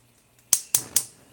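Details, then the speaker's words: Gas stove igniter: three sharp, bright ticks about a quarter second apart with no flame catching; cook suspects the air is not mixing correctly with the gas. "okay so if you ever have a lighting issue especially on a gas stove especially if you can hear it clicking sometimes it means the airflow is not mixing correctly with the gas"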